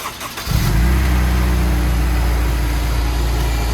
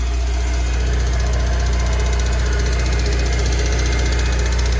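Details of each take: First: Honda S2000 engine, bored 0.25 with ARP head studs, started after top end reassembled correctly: catches within half a second and settles into a steady, even idle with no top-end ticking. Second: Rebuilt Honda S2000 engine, bored oversize with ARP head studs, at first idle after reassembly: steady idle with a quick, regular tick about three times a second, heard as valvetrain contact from a missing spring cap. Unsure whether knock or tight valves; exhaust lash reset to 0.010 instead of 0.008.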